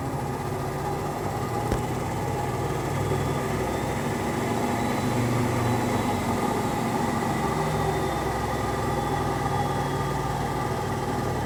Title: Unbalanced rattling spin with bad bearings